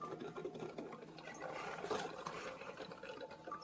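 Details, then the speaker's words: Hamilton Beach FlexBrew Trio 2-way coffee maker brewing 14 oz: light uneven rattling and gurgling with flow reduced to a drip; something inside loose or struggling, machine not working, cause unconfirmed. "You hear all that noise? Sounds like something's rattling in there, which is not normal."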